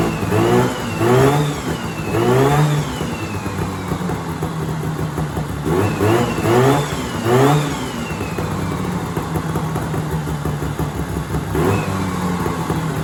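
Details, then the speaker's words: 1970s Sno-Pony snowmobile, 340 twin-cylinder two-stroke, first start after sitting 20–30 years with a rusty tank and hard fuel lines: catches and revs in short bursts, then settles to an even, steady run with no knocks; sounds healthy. "That's crazy. The engine sounds good."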